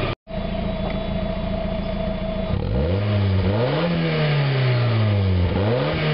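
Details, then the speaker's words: 1991 Mazda Miata after fitting a new catalytic converter, no flange leaks, warming up: smooth idle, then clean free revs rising and falling quickly with no rattle or hiss; sounds much better, revs faster, power restored. "Actually sounds a lot better. Revs up a lot faster."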